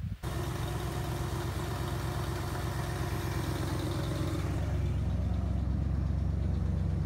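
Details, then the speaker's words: 1977 Ford F150, 351 Windsor V8, running after a new battery and starter cable; still needs a fuel pump: catches and settles into an even, deep idle, steady lope, no misses or knocks; pretty smooth. "But it does run, and it's pretty smooth."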